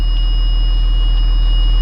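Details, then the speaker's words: Blue Bird school bus with Allison transmission previously stuck in second gear, started after repair: steady high-pitched electronic tone over an even diesel idle with check-trans light on; new TCM needs programming; check transmission warning beep. "actually there's a light here that says check trends check transmission"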